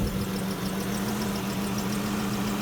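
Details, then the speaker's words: Dodge Chrysler, 134,000 miles, severely overheated after driving with a coolant leak; just started, air leak found, lots of coolant below; idle shakes with an uneven lumpy pulse and stumble: misfire from a blown head gasket. "And look at that. It's shaking. Where we going? Why am I shaking? I got a misfire somewhere, guys."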